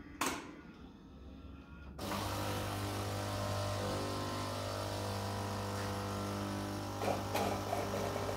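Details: Philips LatteGo EP4346 espresso machine after repair of a cracked grinder coffee chute (water had been going to the drip tray): a click, then the pump holds a steady, even hum with no sputter; brewing normally.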